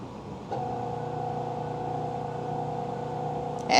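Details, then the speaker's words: Magic Chef 1.7 portable washer, five years old, on spin cycle: a steady low motor hum with no rising drum swish as the timer counts down; the motor runs but the drum never spins. Motor runs but drum does not spin. "So now this is supposed to be the part where it spins because it's currently on spin. And this is what it's gonna do. It's again making sure all the water is out. It's supposed to be spinning. That's the noise."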